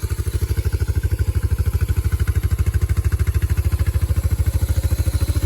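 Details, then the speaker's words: Yamaha Moto 4 (225/250) ATV single after rebuild from bent valve and exhaust valve clearance set to 0.006: even, steady thump at quick idle, no tapping or clicking, engine already a little warm. Normal idle. "No tapping, no clicking. It's nice and smooth."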